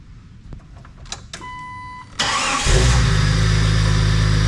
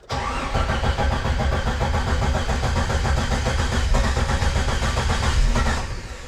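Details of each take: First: 1998 Jeep Wrangler after engine install, running rough until a new crankshaft sensor was fitted: brief crank, then it catches and settles into a smooth, even idle with no misses or knocks. Normal start and idle. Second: 1998 Jeep Wrangler after engine install, no oil pressure shown yet, about 11 volts, crossed plug wire also suspected: engine fires lumpy and uneven, stumbling irregularly before fading; rough running from faulty crankshaft position sensor.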